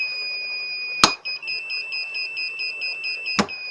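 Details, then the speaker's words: Repaired Lawn Flite mower starter solenoid bench-tested after stripping, positive applied with continuity tester on body: sharp contact clicks about two seconds apart over a steady high beep; solenoid closes and passes current, functioning normally. "and you can hear it click as well there's a bit of annoying beep on this you can actually hear it click and the continuity is there so it is now a functioning solenoid"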